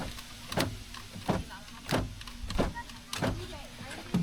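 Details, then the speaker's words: 2010 Honda Odyssey door lock actuator removed from the door and tested with no load: a short buzzing clunk repeats about every two-thirds of a second as the motor strains but is stuck. The unit is plastic-welded and not repairable, so it needs replacement. "That actuator works against that. Let's plug it back in and see what it does without a load on it. >> I feel the motor trying to move,"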